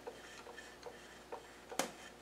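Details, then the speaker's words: Land Rover LT230 transfer box rebuild with ATB differential assembly turned by hand alone, before intermediate gears fitted: light scattered clicks from slight gear looseness, no knocking or grinding; quiet, solid, normal differential. "there's no knocking there's just a little bit from the looseness of the uh the gear but that's about it"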